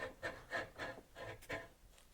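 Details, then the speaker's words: Compactor plate exciter, sat unused over a year, oil-starved: shaft spun by hand gives gritty rasp about three times a second, noise from one side; dry, corroded bearings failed. "Right now, when this is spinning, it sounds like the noise is this side."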